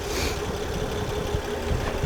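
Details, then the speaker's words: Honda Accord, misfire persisting after another shop's tune-up, at idle after swapping plugs: rough, uneven idle with a faint irregular stumble and no RPM change when the cylinder is tested. Ignition misfire traced to a faulty spark plug. "Starting with this one. Listen. No change. Bad plug."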